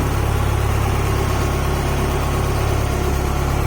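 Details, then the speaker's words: Honda H22A after ARP head studs and intake setup, restarted despite suspected cam seal oil leak: even, steady low rumble at idle, no knocks, ticks or misses; sounds healthy, normal idle. "Well, it runs. That's good to know. And it sounded nice and healthy."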